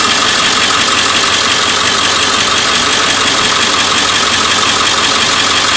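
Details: 7.3 Powerstroke diesel at idle: a fast, light tick about twice a second runs through the steady engine note. Origin of the engine ticking is unknown.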